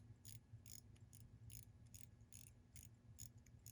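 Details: Faint, crisp ticks repeat at a fairly steady pace over a quiet background from a wristwatch; the movement is running normally.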